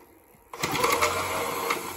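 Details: FXB Fish 16-inch 24 V e-bike that wouldn't take off fast; after the bad BMS was dealt with and high mode set, the hub motor spins up at once with a smooth, even whir and steady hum, no cutting out; normal.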